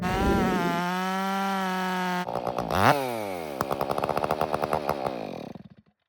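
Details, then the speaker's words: Stihl MS 500i chainsaw, 62 hours, sat with stale fuel: runs and cuts, but at idle it revs, then firing breaks into slowing uneven pops and dies within three seconds, as if out of gas; later the fuel pump was suspected as the main problem. "As you've seen in that video clip, it runs, it cuts wood, and then at idle it revs up and then die"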